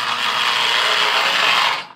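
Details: Lionel postwar Scout 1120 locomotive after motor removal and rebuild, forward test run on track: a steady, high gear whir holds about two seconds, then winds down; small motor runs smoothly.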